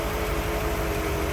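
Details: 1955 Ford Thunderbird, stock 292 V8, hood open, battery recently replaced: even, steady low rumble with no misses, knocks or ticks, very smooth running; normal idle.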